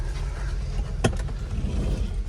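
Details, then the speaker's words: 2002 Audi A4 2.4L V6, sat since March, just jump-started, idling: low, uneven, lumpy wavering rumble with one sharp knock; rough idle, owner suspects timing issue or low battery voltage, unconfirmed. "It's idling a bit rough, so there's probably a timing issue or something. It could also be low voltage from the battery, as it is just recently jump started."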